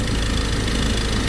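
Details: Ford Ranger diesel, about 300,000+ km, that started then stalled. After replacing the CKP and CMP sensors with genuine parts and bleeding the fuel: steady even idle with a deep consistent rumble and no shake. Normal idle.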